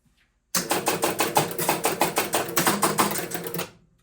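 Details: 1974 Williams Triple Action pinball, replay reset while troubleshooting erratic ball count bug: crisp run of about a dozen even relay clicks, roughly three per second, stopping cleanly.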